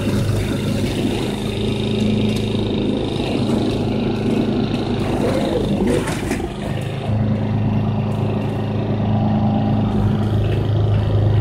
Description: The mower occasionally has a grinding noise when I disengage the clutch